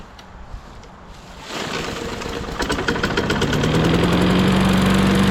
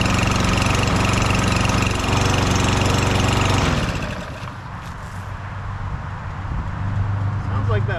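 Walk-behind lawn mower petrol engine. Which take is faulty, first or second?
second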